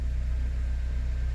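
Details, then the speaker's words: 2006 Honda Element K24 idling after repair of a P0301 cylinder-one misfire. Smooth, even low rumble, no stumbles; scanner shows zero misfires on all cylinders. "I can already tell that it's running really smooth."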